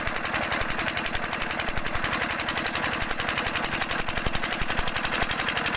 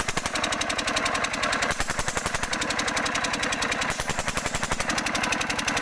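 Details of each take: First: Single-cylinder diesel engine thumping steadily at about 220 beats a minute, sharp even firing knocks, nothing odd standing out; normal running. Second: 5 HP diesel engine (Usha/Kirloskar/Fieldmarshal type) running: a hard, fast, steady knock of about three to four beats a second rides over the engine note; internal knocking, with the injector nozzle adjustment suspected.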